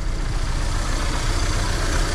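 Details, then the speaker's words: 1994 Chevrolet Monza GLS first running after 19 years stored, after a burst fuel hose was replaced: idle chugs unevenly, surging and dipping and not holding under throttle; unstable idle. "vê se ele vai firmar agora aceleração porque ele não estava afirmando"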